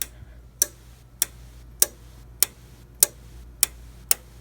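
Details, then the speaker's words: 1998 agent release (FM200) fire panel counting down after abort released: sharp, evenly spaced ticks about a hundred per minute in a quiet room before the relay clicks on and discharges; normal countdown. "And now let's let go. And there you go. It's gonna count down, and then it's gonna click on."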